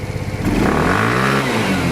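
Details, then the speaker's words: Genuine Buddy 125 scooter after full carburetor service, new plug, battery: throttle snapped open to test the accelerator pump, engine climbs straight off idle with no stumble or bog; pump working. "You can test the accelerator pump by snapping the throttle open very quickly."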